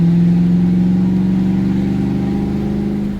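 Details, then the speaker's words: LS 5.3 swap with 4L60 automatic, truck fuse box rewired, transmission solenoids powered from rear O2 feed, test drive under throttle: engine drone climbs, then pitch drops as it upshifts cleanly; normal automatic upshift. "Noise change, it shifts."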